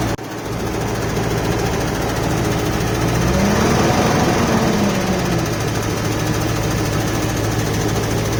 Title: 4L60E knocking ticking noise